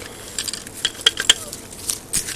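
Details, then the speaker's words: Yaesu G-1000 antenna rotator that was left tilted upside down and half filled with water, jammed; turned by hand it gives scattered metallic clinks and tinkles of loose rust, electrolysis debris and balls rattling inside the housing, and the bearings sound very dry. "the bearings sound like they're very very dry and this and the stuff falling out of this is like oh jesus oh there is stuff falling out of this"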